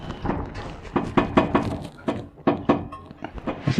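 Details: 1979 Chevy Caprice during transmission filter change with many loose bolts: dull irregular thuds and knocks as the car is rocked, a loose suspension part hitting the rear trailing arm bolt.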